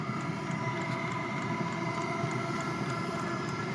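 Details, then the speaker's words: Wippro 5–8 kW all-in-one Chinese diesel air heater, first start, fitted to a Freightliner MT45 van; steady even fan whine and airy rush winding up like a jet as it warms, exhaust smoke clearing, no sputtering. "the exhaust is definitely cleared up and it's getting a little tiny bit War sounds like the jet engine is winding up"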